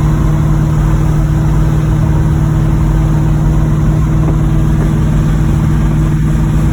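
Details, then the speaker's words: 1986 Monte Carlo SS V8 at idle, driven about 3 days with bottom-end rod knock: steady low rumble with faint uneven knocking underneath, about two per second; worn rod bearing knock. "I've been driving it for about 3 days now. I hear the bottom end knocking in it."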